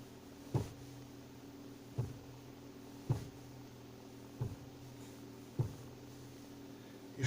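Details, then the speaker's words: 2011 Ford Focus II 1.6, 86,000 km: dull knocks about once a second when turning the wheel near centre with the engine idling; silent with engine off, wheels jacked up or on ice, and fainter once warm. Steering knock, cause unknown. "но при заведенном автомобили сейчас я покажу именно от в начальном положении"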